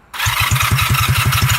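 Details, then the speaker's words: Engine run 12 minutes 43 seconds without oil and filled with beans, felt to be about to blow: it catches and settles into a rough, heavy knocking idle, about eight beats a second, a harsh clatter from a dry, oil-starved engine. "I feel like the motor's about to blow any minute now. Let's see if I can get back to the house before that happens. There we go, 12 minutes and 43 seconds this motor ran without oil and filled with beans. What? Oh man, that sounds horrible."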